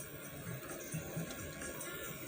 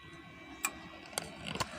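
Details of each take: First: Amplifier after replacing final output transistors with Toshiba parts, volume at half, equalizer pins fitted: music faint and thin with constant hiss beneath it; output weak and noisy on one channel, balance pot also suspected. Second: Amplifier powered on after replacing the Toshiba final output transistors, volume at minimum: crisp relay clicks over a faint steady hum as the speaker protection relay pulls in normally, showing no DC reaches the speakers.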